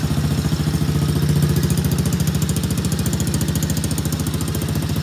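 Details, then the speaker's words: Kids ATV single-cylinder engine after carburetor cleaning, idling with quick even putter, no misses or rattles; sounds strong, slight smoke from muffler possibly from oil drippage. "Got a little bit of yeah, it's actually sounding really good. A little smoke coming off the muffler there. Looks like maybe it's got a little oil drippage on there, but the motor actually sounds really, really strong."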